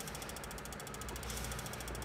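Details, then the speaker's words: 1995 Jeep Wrangler YJ cranks but won't start: with key held in start, rapid steady ratchet-like clicking as starter and fuel pump relays chatter continuously; failing engine computer (PCM), repaired by replacing its capacitors. "Nếu đặt nó ở vị trí bắt đầu, rơ le khởi động và rơ le bơm nhiên liệu sẽ nhấp liên tục."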